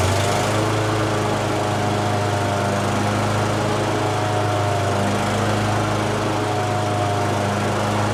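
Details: Exmark commercial mower, first start on choke (no primer), believed flooded with black then white smoke, running real lean. A steady buzzing small engine whose pitch shifts partway through instead of holding even: lean surging.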